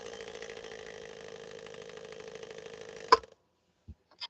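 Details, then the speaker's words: Swedish sewing machine's bobbin winder assembly, which handles automatic clutch release and motor power transfer to the main shaft belt: steady motor hum with fine buzzing rattle until shut off; assembly not in optimal form. "So it really is. It's a control area for so many functions of the machine. And when it's not in optimal form, this is what it sounds like."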